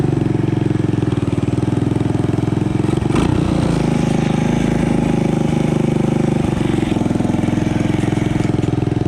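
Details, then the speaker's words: Honda ATC 200ES single-cylinder, long unused and previously dead, just fitted with a Chinese carburetor: fast steady thumping, idle set too high; idle to be dialed back, air-fuel mixture may need adjusting. "And this, I just have the dial the idle back a little bit, and I might adjust the air fuel ratio just to get that carb dialed in a little bit better."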